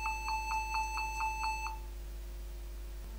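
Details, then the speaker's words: Dell Inspiron N4010 laptop at power-on: steady string of quick beeps, about four a second, no keys working; shorted keyboard causing continuous startup beeping. "let's see what kind of problem I am getting with this laptop it's beeping and irritating me every time when I turning on this laptop no keys are working this is a 100% keyboard problem"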